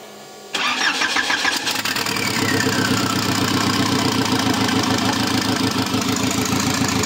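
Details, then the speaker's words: Škoda 1.4 MPI turbo, engine pulled and refitted on rubber mounts with gearbox, crank position sensor readjusted: quick crank, catches at once, steady even idle with no stumbling or knocking; now starts properly. "Snímač sme si nastavili. No a už to konečne štartuje tak, ak má Mišo, kopni to."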